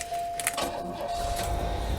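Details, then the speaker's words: 1993 Cadillac Seville 4.9 with a weak battery, after brake work: key jingle and chime, then it fires right up and settles into an even low idle rumble with no misses or knocks. Possible vacuum leaks not yet checked. Normal start and idle. "it still fires right up no issue at all I'm sure you can hear and you can see that it runs and idles very smooth"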